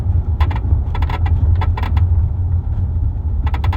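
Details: 2023 Kia Telluride in motion, unloaded, recorder in the third-row driver-side pocket above the armrest: dry creaking bursts every half second over road rumble from the trunk area, worsening over months; dealer could not find the source.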